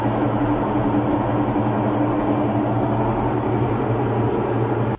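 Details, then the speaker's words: Washing machine during the spin cycle, which also pauses and fails to wash; loud steady roar with a hard low hum, no rhythm; worn drum bearings and seal, rust showing water leaking onto the sensor board; transmission needs repair. "El problema de esta lavadora son los valeros. Sello, tina o retén. Hay que cambiarlo, hay que reparar esa transmisión."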